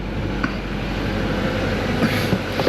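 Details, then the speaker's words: Buick Encore idling after an engine repair involving belt and motor-mount removal: a steady, even low rumble with no knocks or ticks. A smooth, quiet, healthy idle, being run to check for leaks. "nice and quiet we'll let it run a little bit check it for leaks"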